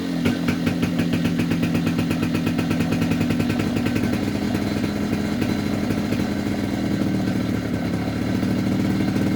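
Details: 2004 Polaris Predator 50 two-stroke mini quad after a new carburetor and corrected float height; revs crisply from idle and settles back to a steady, even burble with no hesitation; normal idle and throttle response.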